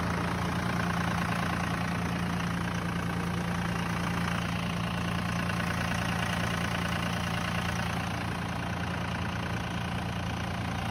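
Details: 1999 Dodge 2500 5.9 24V Cummins started around -3°F in Iowa, unstarted for weeks: steady raised diesel idle with an uneven, lumpy beat, about three pulses a second, the normal cold three-cylinder high-idle warm-up mode.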